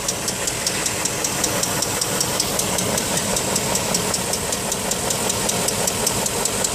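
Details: BMW X5 engine at idle with a quick, steady, sharp tick a few times a second that persists with a new tensioner; cause unknown.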